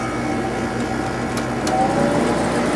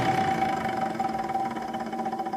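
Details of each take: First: Second Sharp window air conditioner at its spring 2020 first startup after winter storage: steady low compressor hum under an even fan rush, no rattles or buzzing. Not low on refrigerant, still blows cold; runs healthy. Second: Window air conditioner at first spring startup after winter storage: a steady whirring with a faint regular warble over the airflow from fan motor bearing noise. It has probably been present for about 18 years; the motor was oiled last year, spins freely with no play, and stays noisy.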